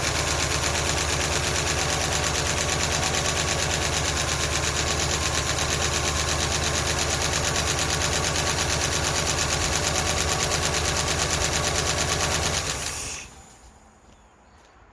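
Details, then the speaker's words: Ford LTD just started after all lifters were pulled and inspected, run on contaminated milky oil: fast, sharp, even ticking about three per second over a steady idle until shutdown; valve train tapping from all cylinders. "that's valve train noise i'm going to go ahead and get my ratchet make it a little easier okay it's all of them"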